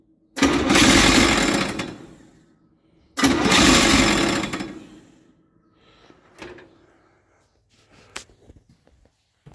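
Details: Chevy 283 V8 in a parts truck, not run in a while, choke on: two rattly, grinding cranking bursts of about 1.5 s; the new starter is held by only one bolt and sounds bad, nose cone expected to break.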